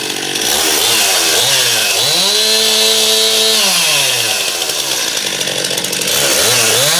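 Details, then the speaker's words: Stihl MS271 chainsaw test-run after clutch drum replacement, old drum badly worn and grooved; revs up cleanly to a steady high scream, drops to idle twice; ear-piercingly loud but smooth and running right. "seems like a really loud saw too it seemed uh kind of ear piercing loud"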